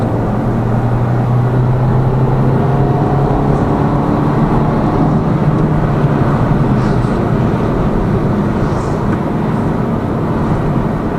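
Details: Lada Vesta Cross with AMT 2.0 robot gearbox, fully loaded, on rough road; head-mounted action camera. Steady road and engine drone, no clunks or knocks over bumps; suspension tight after shock absorber strut replacement fixed the knock.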